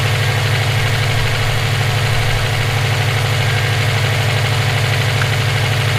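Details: EJ257 flat-four at idle: a regular light knock about three times a second keeps time with the engine, present for about 17k miles since purchase; owner suspects rod knock, a spun bearing or valve lash. Source unconfirmed.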